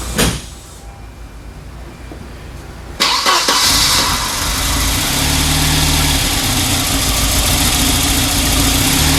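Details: 1994 Volvo 940 Turbo wagon near 200,000 miles, with a misfire from an injector that only occasionally fired. After new fuel injectors and a new fuel filter, the starter cranks briefly, the engine catches at once and settles into an even idle with no misfire.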